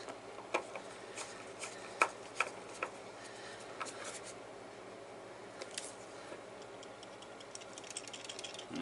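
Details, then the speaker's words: Opened rattling hard drive after snugging a screw near the head: irregular light ticks and rattles over a faint steady hum, sharper bursts now and then; the worn head assembly is rattling inside and the drive still works. "that didn't help it but that's exactly what's rattling though at least now we know it's pretty worn"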